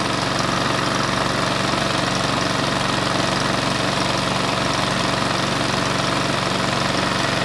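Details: Cheap Chinese department-store lawn mower, about a year old, unused for half of that, revived: small engine runs at constant speed with a steady, even beat, no misses or surging; normal running under load.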